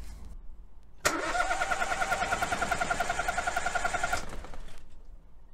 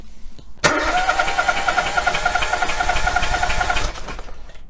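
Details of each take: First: Good engine cranking for a relative compression test with a scope and current clamp: about three seconds of steady starter whine, each compression beat evenly spaced and equally strong; compression sounds even across cylinders. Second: Relative compression test with spark plug removed from one cylinder of a three-cylinder engine: lopsided cranking beat, two strokes labouring then one spinning free each cycle, three to four a second; no compression in one cylinder.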